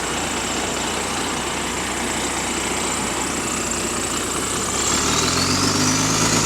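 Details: Diesel bus GAL WVL464 on route 89, exhaust leak left unrepaired for weeks: loud engine with rapid raspy puffing at about four a second.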